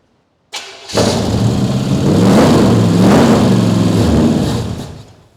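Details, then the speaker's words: Crate 350 V8 swapped into a 1951 Chevy 3100 farm truck, open pipes, after timing was off on first crank: quick crank, fires, revs smoothly and settles even; normal running. "Mr. Phil, what do you think of the sound? Pretty good, huh?"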